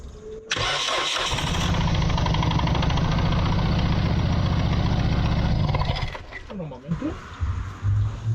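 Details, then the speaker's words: Mitsubishi Lancer CE after spark plug tube seal repair: long crank catches into an uneven, stumbling idle that lurches and dies back; misfire because one ignition coil was left unplugged. "Doesn't sound good at all. It's broken it. Oh! Oh, I see the problem. Might work better if I plug both coils in."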